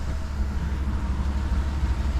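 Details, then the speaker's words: 2011 Chevy Tahoe V8 after the misfire and white-smoke repair: deep, even, smooth idle with no misses, knocks or stumbles. The exhaust is still full of fuel, and a crank relearn is still pending. "All right, so there you have it. It's running good."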